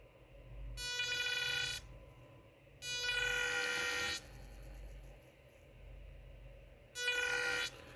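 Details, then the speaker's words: Close-up of Arduino-controlled motor on separate 5 V supply: bursts of buzzy steady-pitch whine, about a second each, starting and stopping as the motor runs; motor whine, cause unclear. "So let's crank it up here. So nice. You can hear the noise there."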